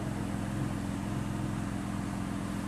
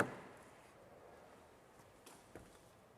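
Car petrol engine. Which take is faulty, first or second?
second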